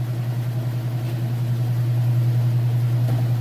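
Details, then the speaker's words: Kenmore washer at full spin with a full load of test clothes: steady, smooth low hum at constant speed with no knocking, thumping or scraping; smooth operation, spinning evenly. "It's up to full spin. As you can see it here, it sounds great. Nice smooth operation."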